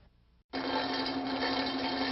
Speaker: you hear a rattling noise that sounds like marbles rattling around inside the pump it's usually a sign of cavitation